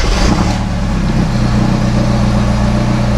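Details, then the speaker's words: ALH Jetta diesel after new camshaft and lifters, first start before break-in drive, heard from inside: steady even low-rumble idle after slight start-up settling, no ticking; sounds better, owner hears possible worn serpentine belt noise. "Well, it sounds better from inside already."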